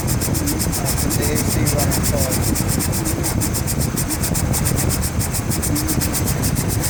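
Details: 2004 Chevrolet Trailblazer LT 4.2 i6 with new AC clutch bearing: steady rapid dry scraping grind from the AC compressor clutch when AC engages; silent with AC off; owner suspects a rough edge with the clutch sticking on the pulley.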